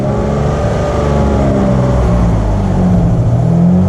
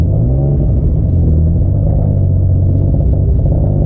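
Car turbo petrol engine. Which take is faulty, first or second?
second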